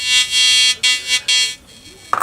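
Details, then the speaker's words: Probably mid-1970s Compass Yukon 94B metal detector after reconnecting a loose blue coil wire: loud steady high buzzing tone in bursts cutting on and off as it sweeps, then a clatter; detector working normally. "That's kind of cool. That's definitely working."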